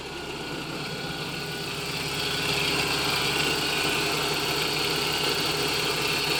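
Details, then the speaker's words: 1988 Toyota pickup 22RE after starter relay rewired with fused 30 A wire to battery positive and relay contacts cleaned, fixing click-no-start: starts right up, steady even smooth idle, no knocks or misses, healthy. "so well as you guys saw it started right up there"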